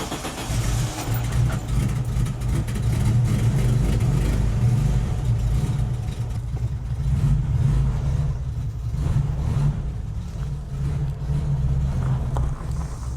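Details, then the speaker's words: Air-cooled VW Type 3 fastback, not started in about a month: starts up like a dream, deep even thrum swelling smoothly as throttle opens and settling back; starts and revs cleanly, sounds healthy. "Oh, look at that. Oh, starts up like a dream."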